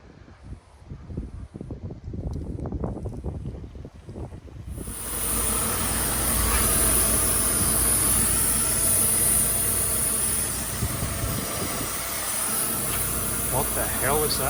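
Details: Mercedes W124, hood closed with filter installed: loud steady airy hiss with a thin high whistle, audible from outside; owner suspects throttle body, louder than ever before and louder than his other W124.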